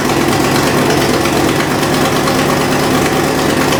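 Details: Fox Body V8 after new valve seals, cold idle: fast sharp ticking over lumpy exhaust pulse from passenger-side header/X-pipe exhaust leak; fixed by fitting an H-pipe.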